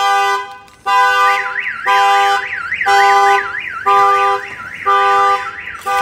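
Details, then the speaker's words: Newly installed Viper 5706V alarm on a Chevy Silverado (2003 spoken, 2013 in description), armed, door opened without disarming: warbling siren rising and falling, chopped by horn bursts about once a second; kill switch blocks cranking until disarmed. "let's see if somebody was to open the door without you an arming your alarm system if somebody wants to open the door it's going to show you on here that your alarm is going off"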